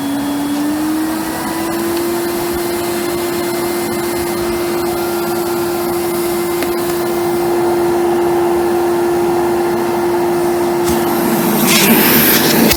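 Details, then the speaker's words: AEG Deluxe Electronic 608 Black Line vacuum cleaner before refurbishment, started on low power and turned up: steady strong whine rising slightly with power, smooth with no rattles; motor incredibly strong even on the 250 setting. "Incredibly strong, even on the 250"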